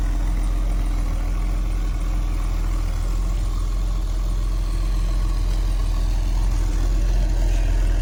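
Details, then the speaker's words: Mercedes 280SE just after cold start, sat since yesterday, heard at the tailpipe: steady even low rumble, no misses, ticks or knocks; clean exhaust; cold engine settles into a healthy idle. "so we'll do a cold start and see what happens here and you can see it fires right up it's gonna have some lights on here for a minute or so while it warms up that's the cold start"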